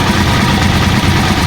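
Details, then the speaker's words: Tricycle (trike) single-cylinder engine idling after one-click start: light quick ticking over the thump, noisy engine; owner suspects thinned old oil, plans tune-up and oil change; valve tappet ticking at idle. "kung maririnig niyo merong lagat sa ating makina. So inwan ko lang rinig niyo kasi may umaandar din sa kabila. So maingay na [musika] yung makina mga ka-travelers."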